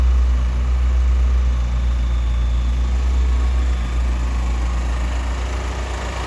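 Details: 1988 Lotus Esprit, first start after sitting, hot-wired with fuel pumps on a separate battery and new injectors and plug wires: low, slightly uneven loping idle. Smoky, likely from WD-40 in the cylinders; air-fuel ratio is off.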